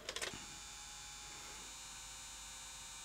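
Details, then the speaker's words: Sony J-30SDI Digital Betacam player with error LED and display fault: a few clicks then a steady high whirring in fast forward, strained and too slow, noisier than normal; transport not reaching full speed, mechanical problem suspected. "that's just noisier than these machines should be that hips fast forward that's not full fast forward speed"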